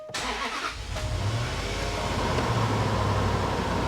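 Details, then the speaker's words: 2011 Range Rover Sport HSE Luxury after blown head gasket repair, previously non-running and smoking: brief crank then catches at once and settles into smooth even idle; fires right up, clean healthy start. "she fires right up now how about that I am I'm beyond happy with this car"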